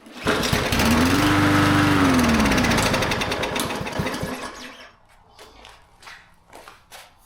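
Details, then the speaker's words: Used lawn mower with fresh fuel, full new oil, primed: catches, surges unevenly for a couple of seconds, then sags and stutters into weak coughs. Rough running; owner suspects the carburetor needs cleaning. "I think the carb needs to be cleaned. That's fine."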